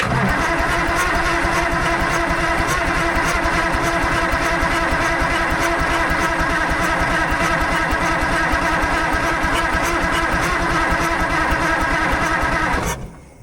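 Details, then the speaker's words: Fiat-Allis 645B loader diesel with four injector lines loosened to bleed: it cranks steadily about thirteen seconds with no firing and no fuel reaching the injectors. Owner fears an injection pump problem. "Not a drop yet. I really hope our injection pump doesn't have any kind of problems going on. Every once in a while, it kind of makes some noise like it wants to start, but I haven't seen any signs of fuel getting up here to the injectors yet, so I don't know how it could."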